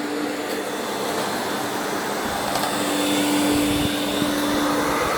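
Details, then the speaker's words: Scrapped vacuum cleaner from the tip with a cracked plug, on the high setting: a steady, even motor roar with a constant tone and no knocking or grinding. The motor runs healthy. "There we go, it's running on high. It seems to be alright. The motor sounds fine."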